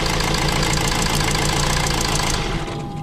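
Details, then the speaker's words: Honda CR-V with number 3 injector circuit codes (P0203): running with the injector unplugged, rough and lumpy with an uneven beat and heavy misfire, then sags and cuts out after about 2.5 seconds; injector judged faulty. "cuts out right I'm going to say that I'd injector faulty"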